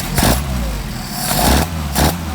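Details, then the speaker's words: Mercedes 190SL, rebuilt Solex 44PHH carburetors, during idle mixture adjustment on carburetor number 1: engine blips up cleanly twice and drops back to steady idle, no stumble or popping; carburetion well balanced. "This will be right there. It's on the high scale, so we can rev it."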